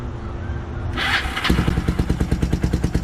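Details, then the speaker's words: Kawasaki KLF300 after an engine rebuild and a broken neutral gear holder fix: a steady, even single-cylinder thump at idle of about three beats a second, running fine. A rattle was noticed at the rear afterwards. "good. Sounds good. Sounds real good."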